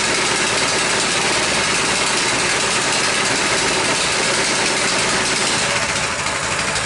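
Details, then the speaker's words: Coleman BT200X minibike, single-cylinder, after being crashed in mud; runs fast and busy instead of idling because the governor linkage is strained, pulling the governor arm open; idles nicely when released. "it wants the it watchs the idle nicely when I let go of it they pulling on that Governor arm making that engine want to rev up"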